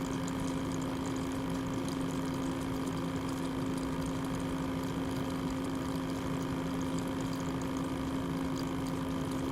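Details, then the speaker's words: Loud, highly unpleasant constant pump whir with a strong fixed hum around 250 Hz from the water-cooling pump under 3DMark and Cinebench load; possibly a defective unit, cause unknown. "alors je sais pas si c'est un modèle que j'ai eu buggé mais regardez au niveau du bruit la pompe c'est vraiment hyper hyper désagréable"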